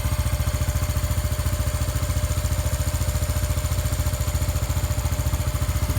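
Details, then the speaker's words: Honda Biz 125 small single after repair of connecting-rod play. Steady, even putt-putt at a quick idle with no knocking; running quiet and healthy, where before the repair it had a strange noise. "se você viu anteriormente aí no começo do vídeo como estava E como tá agora bem caladinho de acelerar funcionamento perfeitamente sem bater nada"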